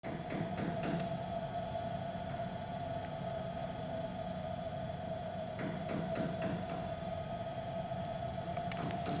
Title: ENGINE RPM NOT STABLE DUE TO CYLINDER NUMBER 4 MISFIRE NO CHECK ENGINE AND TROUBLE CODE